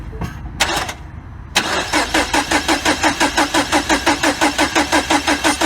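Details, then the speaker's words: 2012 Mini Cooper Countryman 1.6L 4-cylinder, no codes, scope on ECU pin 5 power feed: steady even cranking near three compression beats per second, never catches; crank no start from voltage drop in ECU power feed while cranking. "it alright as you can see our voltage is dropping on this side of the circuit"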